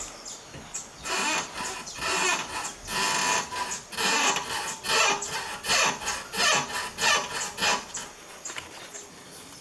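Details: VW Beetle (Fusca) front suspension: repeated creaking squeaks about one per second following suspension movement, started after driving through standing water; source not yet found.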